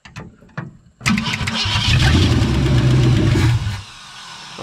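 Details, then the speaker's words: 1963.5 Ford Galaxie 500 with a 390 FE V8, no compression on cylinder 1 and a freshly rebuilt carburetor: the starter churns steadily for about three seconds but it never fires because the fuel pump has run dry; cranks, no start, out of fuel. "well may be out of gas yeah the pump's dry yep pump dry out of gas"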